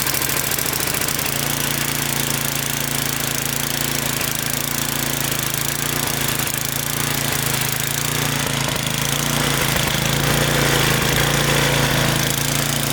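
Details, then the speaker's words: Small single-cylinder snowblower engine that surged at idle. After carbon chunks were cleaned out and fogging oil sprayed in, it holds a smooth, even low idle with no surging or stalling: normal idle. "Now it's not surging and it can idle down without stalling out. So hopefully that was it. Pretty easy fix."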